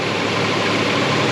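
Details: 2000 Nissan Frontier 3.3 4x4 after timing belt, water pump and crank pulley replacement, idling during coolant refill and air purge: smooth even idle, steady low hum, no ticks or knocks; healthy.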